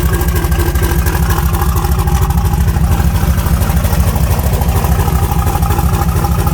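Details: Nova with an S480 turbo on the 74 just installed and chopped diesel-truck exhaust, fired up cold at about 27°F: deep, loud V8 burble with a steady lopey rhythm of about two pulses a second, even and strong. Healthy idle.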